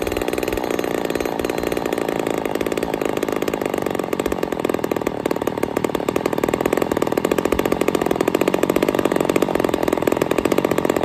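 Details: Ported Poulan 245A chainsaw with bow bar, first start, cold: high, thin, buzzy scream revving sharply, strained and crisp; running a little lean, starving a touch, still needs carb tuning.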